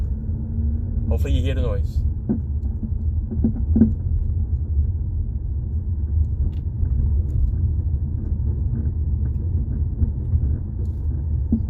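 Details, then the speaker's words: 2018 Jeep Compass driving over bumps, microphone held underneath near the floor: loud sharp irregular clunks over road rumble; mechanic suspects worn front sway bar links (plastic with metal joints), not ball joints. "Pretty loud, right? All right, let's go check it out. Let's go check it out. Most likely to me, it's usually the sway bar links. That's what makes that noise when you're on the ground."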